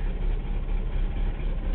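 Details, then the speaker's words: 1980/81 Chevy C20, 350 (5.7) V8 with Rochester Quadrajet carb: deep, slightly uneven, lumpy idle rumble. Owner says it needs new spark plugs and a new carburetor, planning a Holley 4-barrel. Cause not confirmed. "so far all I need is new spark flows it's got a Quadro jet car or [Music] roachester not happy needs a new carburetor"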